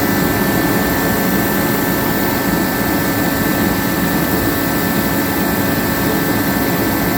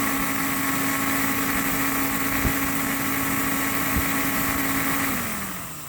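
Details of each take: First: Pro 80,000 BTU kerosene torpedo heater that had sat unused for years, running after a fuel-line fix. Fan and burner give a constant, even roar with no sputter. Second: Pro 80,000 BTU kerosene torpedo heater unused for years: steady fan whir and ignition tick with spark present but no burner roar, then winds down; no ignition, suspected no fuel reaching the burner.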